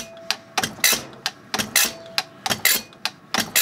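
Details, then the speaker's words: Rebuilt Zexel (Bosch) mechanical injector from a 17-year-dormant Kobelco SK160 excavator on a pop tester: crisp high-pitched chatter with each pump stroke, fine mist, opening pressure about 215, within spec; normal injector chatter. "atomization good chatter open our valve check the opening pressure we're about 215 which is within specification so this injector is now ready to go"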